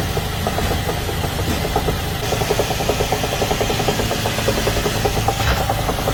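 Fast, steady light knocking rides over a rough-running engine the whole time; some kind of internal knock, but the cause can't be pinned down. Cause suspected, not confirmed.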